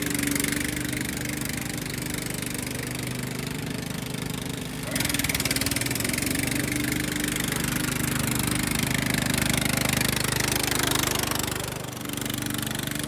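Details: Restored Jacobsen Chief 800, after fitting a part to keep the deck belt from flying off: single-cylinder engine running steady at speed with the deck spinning, small load dips but an even beat; healthy.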